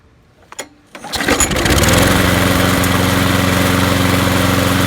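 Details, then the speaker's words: Craftsman push mower, Briggs & Stratton 6.5 HP, after replacing the sheared flywheel key and rebuilding the carburetor: starts on the second pull and settles into a steady, even drone with no surging or misses; speed set by bending a link. "so that runs a lot better now what I did here is when I took this and bent it and pulled it that way it speeds it up if I need to slow it down I bend it that way"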